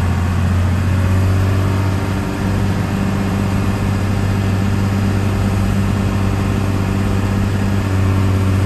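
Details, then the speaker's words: 1993 Dodge Ram W-350 4x4 with the 12-valve 5.9 Cummins intercooled diesel, 51k miles, freshly serviced, automatic four-speed, driving uphill through all gears: a deep, even drone with no slip or hard shift. Healthy engine and smooth shifting. "we'll head up the hill so you can hear the 12-valve run as well as the automatic four-speed transmission go through all the gears you can hear for yourself how it doesn't slip or shift hard at all"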